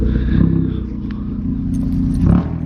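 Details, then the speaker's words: Car with no muffler yet (muffler to be welded on): deep loud exhaust drone under the engine, swelling when blipped, likened to a weed whacker; heavy drone on highway. "that sounds not so good yeah I see what you mean that's like oh yeah I can see watching me kind of sound like a weed whacker"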